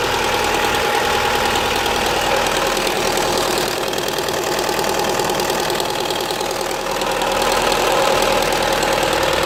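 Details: Opel Astra H 1.6 (Z16XEP engine) with noise from the rear area of the engine and loss of power: at idle, a steady metallic rattle of about three beats a second runs through the hiss; source unclear.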